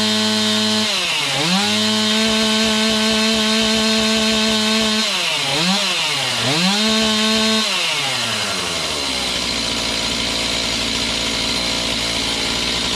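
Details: Serviced Stihl MS291 chainsaw cutting a roughly 12-inch log; screaming high revs drop and recover cleanly as the chain bites, pulling steadily without bogging. Normal cutting under load; high/low carb adjustment may be tweaked later.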